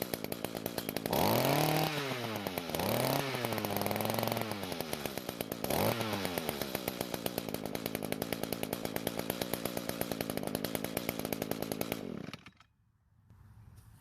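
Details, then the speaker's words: Echo two-stroke trimmer that previously started but would not reach full speed, after replacing the muffler, top cover and spark plug, revved with the attachment removed: it snaps up cleanly to a high buzzing scream and drops back to a steady idle, now revving freely and normally. "it seems to be working just fine now but I'll put the attachment on later and check it for a full speed run"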